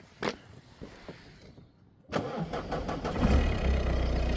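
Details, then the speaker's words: Peugeot 1.6 HDi (BHY) diesel, previously no-start with P2669/P2670, after thermostat housing replacement and coolant refill: brief crank, catches cleanly, settles into steady even diesel idle; normal start. "Alright, so it's running now, and I've just splashed some water over there so it all looks nice and clean."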